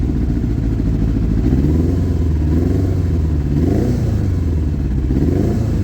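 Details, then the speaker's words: Kawasaki ZR7 four-cylinder motorcycle, 20,000 miles: lumpy, uneven exhaust beat with a dead pulse as revs rise and fall, misfiring on three cylinders; cured by removing and cleaning the carbs. "One being has four cylinders but running on three."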